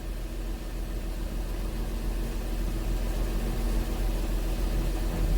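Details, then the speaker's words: Honda Pilot petrol V6 with codes P2638, U communication codes and a cylinder 4 misfire: steady even idle with no stumble; cylinder 4 shows only one misfire count, currently no misfires. "right now the engine sounds good there are no misfires right now"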